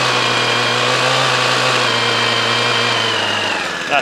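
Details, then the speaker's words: Hedge trimmer stored in the shed over winter with two-stroke fuel in it: even, high two-stroke buzz held steady for several seconds before shutting off, no missing or surging; normal running after storage. "so that's good so that's all running that one runs on foot with a one so we're good with that one"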